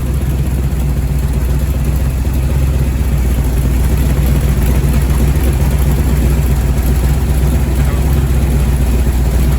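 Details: First start-up of a freshly rebuilt Ford 427 medium-riser FE V8 at Thackston Brothers Garage, built for a 1967 Galaxie 500 clone. It holds a deep, steady, lumpy rumble with no knocks or ticks. The engine is running healthy.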